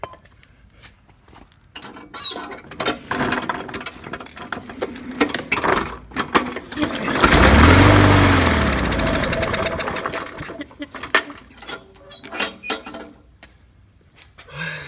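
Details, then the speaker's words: Murray mower with Briggs & Stratton 300E series engine, trash-picked, run on carb spray into carburetor: scattered pops and cranking, a few seconds running on spray, then dies; plugged carburetor, probably water in fuel or dirty carb. "well that tells me um we got a plugged up carb on this one since it started with carb spray directly into the spark into the hole in the carburetor that tells me there's probably either fuel there's probably either water in the fuel or the carburetor is dirty"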